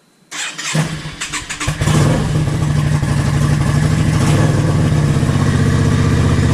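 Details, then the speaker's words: Yamaha XVS650 V-Star/Dragstar 650 V-twin after a stock #20 to Mikuni 22.5 pilot jet swap, with a 120 main and the needle on the 4th notch: starter whirr, then it catches within a second into a strong, even, lumpy idle with no misfires. "You want it so that the tail light and the headlight aren't flicking, and the bike doesn't sound like it's struggling. That sounds fantastic."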